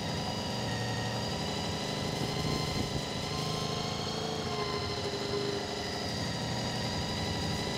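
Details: Honda VFR400 motorbike after cleaning blocked carburettors, while balancing carbs to the lead carb and turning the idle down: steady low idle with an even, smooth beat and no misses or hunting; normal idle.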